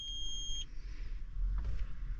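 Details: Idling tractor cab while relays and 60 A fuses are traced on a confusing diagram; the clutch kicks on. A steady two-tone electronic beep of about half a second sounds over a low engine rumble. The warning's cause is unknown.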